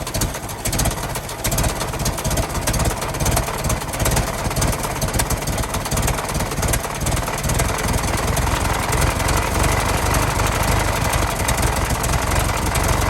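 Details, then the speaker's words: 1916 Federal Motors truck, 107-year-old four-cylinder that was seized and sat 50+ years, bottle-fed fuel, rusty radiator being filled with water; loose, rapid chuffing beat at fairly steady idle, firing every stroke, runs well: normal idle. "I gotta say she runs real good for being 107 years old and sudden for 50 years"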